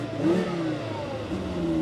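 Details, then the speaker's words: Volvo C30 2.4 L with 91,000 miles, engine light on, 30 degrees: two clean blips, pitch rising and falling smoothly with no knocks or rattles; the engine revs freely and sounds healthy. "Who'd expect a little hatchback to sound like this? That's really good."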